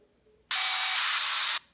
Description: Here you can see a 38mm Apple Watch Sport started a muffled, static buzzing sound instead of making the regular sounds effects.